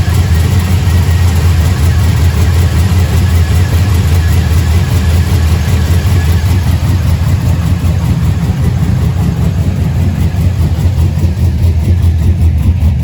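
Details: Truck with 6.0 LS built into a 6.2 with TSP cam, fresh motor, cold start after water pump replacement, 4L80 transmission: deep loping choppy idle, even and strong, no knocks or ticks; normal cammed idle.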